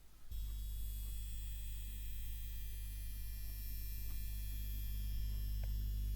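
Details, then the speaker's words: Seiki SE40FO04UK LED TV: steady low buzz with faint high whine from the back, buzzing for over a year; suspected vibrating transformer on the main AV board, to be damped with Blu-Tack. "so this TV in the background has been giving a buzzing sound for now over a year"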